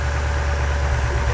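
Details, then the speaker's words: 1979 Chevy Nova LS swap, pulling one off to test: steady, deep, even exhaust note with no missed beats; now running on all eight cylinders. "oh now now pull one off oh it's running on eight I guarantee it"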